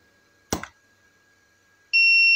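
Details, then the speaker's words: Tronic Alfa 800 W studio monoblock flash with digital power display, after repair of unstable power; full power: sharp pop, faint high whine, then clean steady ready beep about 1.4 s later, under 2–3 seconds. Normal recharge. "itu dia dia nggak nyampe 3 detik ya 2 detik ya kita coba hitung ya 1 2A 1 2 detik dia udah Udah ready seperti itu ya"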